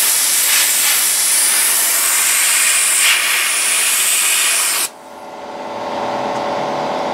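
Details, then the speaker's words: Inexpensive sandblaster using leftover blasting-cabinet media on 1968 Triumph TR250 flanges, running low before a refill: strong steady high-pitched air hiss for about five seconds, then a clean cutoff; normal sandblasting. "see that works pretty well I'm going to be a little back a little bit here just blasting my camera and need to refill well you get the point"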